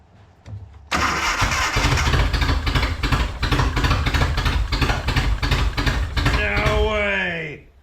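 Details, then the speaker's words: Datsun/Nissan 720 King Cab 4x4 pickup abandoned about 20 years, carburetor given top-end rebuild, idle screws being adjusted: uneven galloping idle about three beats a second, yet idling longer than before; significant fuel leak present. "guys it's got a Gallop but it's idling longer than it has in Forever"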